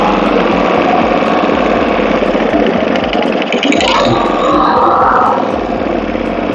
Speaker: wow okay did you hear that sounds that sound is so smooth